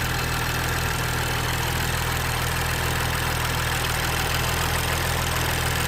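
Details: 2013 BMW F20 135i with N55 engine, brought in for smoking and misfiring. It runs fairly well with some smoke at the back of the engine and Valvetronic fault codes. Steady idle with a faint uneven pulse under a hiss: rough idle.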